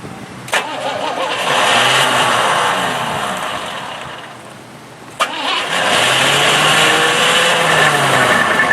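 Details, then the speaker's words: Old Cadillac, carburetor primed and fresh gas added: two cranking bursts, each with a sharp clack as the starter whirs then drops out; it keeps kicking out due to a weak starter solenoid. "Well, it's trying to start. It's got a weak starter solenoid. Keeps kicking out."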